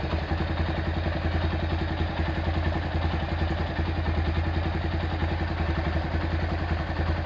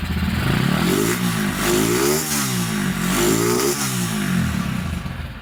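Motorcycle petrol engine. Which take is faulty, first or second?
first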